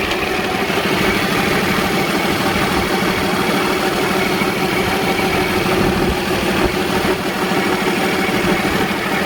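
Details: Cummins-engined Freightliner truck that would not start, after replacing the bad fuel pump: steady, even diesel clatter at idle with no misses, surges or knocks; normal idle.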